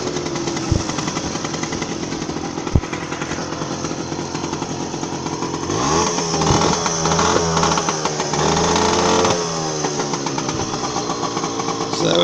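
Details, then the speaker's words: Two small two-stroke Manet Korado/Puch-type mopeds idle together with rapid, uneven popping and a harsh, raspy edge from the louder bike, which has an exhaust leak. "This one is considerably quieter, but that one's got an exhaust leak, so that'll be why."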